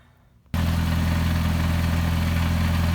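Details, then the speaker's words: VW 02J/02M gearbox idling after main input shaft bearing got a new plastic cage and grease, inner race not replaced: engine steady, gearbox far quieter, faint whirr remaining. "well that's it running um significantly quieter"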